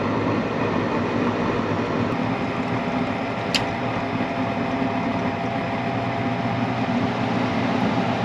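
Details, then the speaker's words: Gas furnace that had been shutting down after 15–20 minutes, after repair: steady, even air rush with a low hum as the burner flame is lit and the blower fan runs normally. "And the fan is on. And we're good to go."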